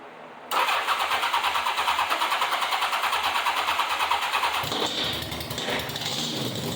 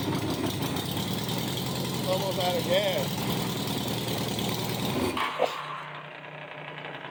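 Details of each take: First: 1987 Honda Gold Wing GL1200 with electrical issues: sometimes cranks right up, sometimes won't crank, backfires through the exhaust at key-off. Starter cranks about three times a second, engine never catches; intermittent hard starting, possibly fuel, cause unclear. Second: 1987 Honda Gold Wing GL1200 bike bought with electrical problems; after the battery was charged for a couple hours it runs perfectly. Loud, raspy open-header flat-four idle, even, for a few seconds, then the engine stops: normal idle.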